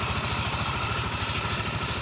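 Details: Yamaha Mio MXI 125 after overhaul, running while coolant is topped up: quick, even putter with steady pitch, no knocks or rattles; engine now good, normal idle.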